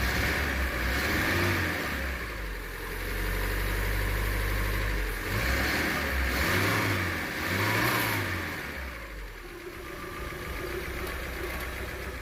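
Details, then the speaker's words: 1996 Daihatsu Zebra Van Astrea Jumbo, 1300cc SOHC 16-valve, carburettor and points ignition, ex-regional-government car: smooth, nearly silent idle rising and falling a few times, revving cleanly with no knocks or misses; healthy engine, normal idle. "Nih, ini mesinnya halus banget, nyaris tak terdengar, apalagi kalau dicek langsung, karena memang di video itu suaranya suka agak berubah dikit. Nih, ini mesinnya halus banget karena memang mobil ini rawatan dari Pemda Blora Jawa Tengah."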